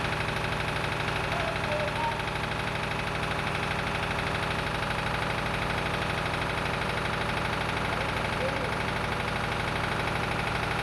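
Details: Lister emergency air-compressor diesel on the M/V Steve Irwin warming up before loading: even, steady chug about three beats a second, no knocks or misses; sounding good, a normal idle.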